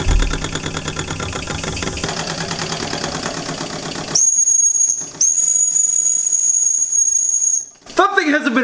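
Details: Old small model steam engine, not run in about 20 years, under pressure: quick irregular chuffing, then a steady high whistle for a few seconds over soft hiss; normal running.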